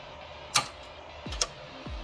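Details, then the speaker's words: EV conversion (Tesla SDU inverter driving front motor) on start: pre-charge contactor engages, then main contactor clicks on pressing start; two sharp dry clicks over faint hum, normal contactor operation. "you will hear the pre-charge contactor engaging just waiting for the for me to press the start and then you will hear once I press Start you will hear the other one clicking"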